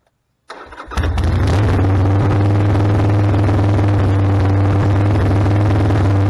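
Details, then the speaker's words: 1995 Harley Sportster 1200 cold start on choke after carburetor clean and rebuild: brief crank, then the V-twin catches and settles into a strong, even, deep idle without stumbling. "so we left the bike we're going to let the bike warm up a bit and then I'll turn the choke off and we'll see how it idles"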